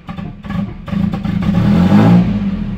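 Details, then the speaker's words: Nissan S13 240SX, warm, idle dropping after warm-up despite coolant and distributor fixes: idle sags and stumbles on throttle blips, then revs climb, slightly better than before; owner wondered about injectors, later traced to a brake booster vacuum leak. "She's still dropping when I'm putting a little gas in, but she's doing a little better."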